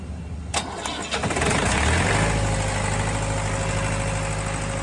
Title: Hard starting #diesel #engine #injectionpump